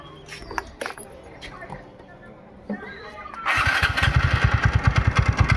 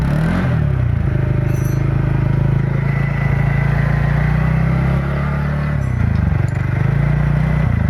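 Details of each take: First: TVS Ntorq BS6 scooter idling: after starting, steady knocking rattle about three beats a second over the idle; loose starter (self) bearing nut causing the noise. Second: TVS NTorq XP BS6 scooter engine after a loose nut was tightened (rattle blamed on loose nut/bearing): steady, even low hum with a smooth throttle blip and no tapping or rattle; runs healthy.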